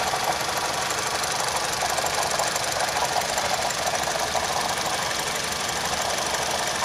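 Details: Engine with fault code P0016 (crankshaft/camshaft position correlation) and a newly appeared knock: a loose, tinny, slightly uneven knocking about twice a second over the running engine; cause unknown.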